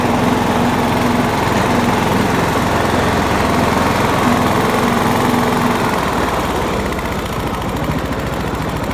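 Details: John Deere LX172 lawn tractor single-cylinder engine running steady and even with a quick regular beat, carburetor fuel solenoid hot-wired to the battery while the wiring harness is still being sorted; it started right up and sounds healthy.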